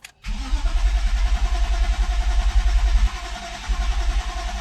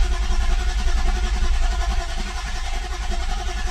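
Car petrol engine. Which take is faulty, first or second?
first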